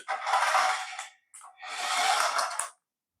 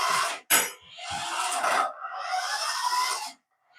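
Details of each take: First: Paladone RC VW Campervan toy, run on the floor: two short bursts of high, clattering buzz from the small geared drive motor, rattling because gear teeth are missing in the gearbox. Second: Paladone RC VW Campervan toy after gearbox fix with a spacer holding the gear in place: two bursts of thin high-pitched motor whir with gear buzz, no clicking or skipping, drive runs smoothly (motor wires reversed).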